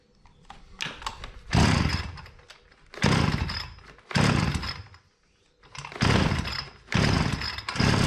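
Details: Hyundai petrol brush cutter engine running at low rpm, head spinning slowly and not cutting: revving bursts sag and die back, never reaching full speed; fuel-soaked air filter is choking it.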